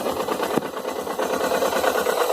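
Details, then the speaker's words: Suzuki GS 500E engine at idle: steady idle pulse with a light, busy ticking rattle on top; the noise appears at idle and disappears at high revs; source unconfirmed, owner hopes it is not connecting rod, head or cylinders. "a lenta a lenta ela aparece na alta o barulho não aparece"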